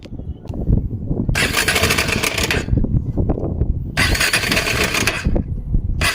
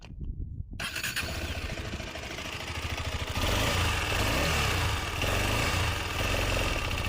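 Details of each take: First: KTM Adventure 250 engine before repair, brought in for engine noise: loud clattering rattle from the top end swelling with throttle blips; head cover opened, timing chain found slack, lifting by hand; timing chain rattle. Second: KTM Adventure 250 after timing chain replacement: short crank, catches and settles into a steady, even idle with no ticking, rattle or chain slap; engine noise gone, normal idle.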